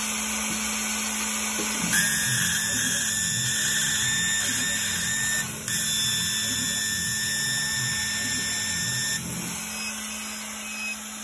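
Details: CO2 laser with 100 W tube cutting plywood at 70% power, speed 18, after changing the distilled cooling water: steady high whistle from the tube and head over air-assist hiss, dropping out between passes; water unsuitable for cooling.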